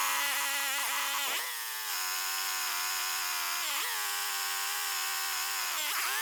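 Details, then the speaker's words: Rebuilt Husqvarna 562XP AutoTune chainsaw with a new crankshaft, held at part throttle for 30–40 seconds so the computer can adapt to the weather: steady, high-pitched two-stroke buzz with brief dips and recoveries; normal part-throttle running. "basically what we have to do is give it 30 or 40 seconds at part throttle to let the computer set itself for this particular weather condition"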